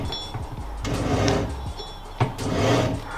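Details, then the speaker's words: Fox-body Mustang rear differential, found during a fluid, gasket and seal change, turned slowly by hand; rough, gritty grinding in uneven bursts, bearings suspected failed, full rear-end rebuild planned. "you hear the grinding noises the bearings yeah so whether the bearings gave out or whatever the case was uh it's no bueno"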